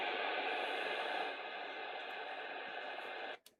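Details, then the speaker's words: Sony ICF-7600D radio after reflowing solder joints on a board that showed a scrape, repairing intermittent operation. Steady hiss and static through the speaker without dropouts until switched off; now working normally. "That might explain the intermittent operation. Yeah, it's working now."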